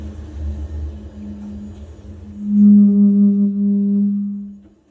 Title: Biasi boiler making noise